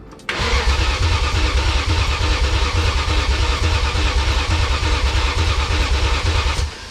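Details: BMW E39 M5 wagon engine, first start attempt after priming oil pressure, fuel rail connected, coolant lines open: steady starter churn about three pulses a second for six seconds, no firing; cranks but won't start.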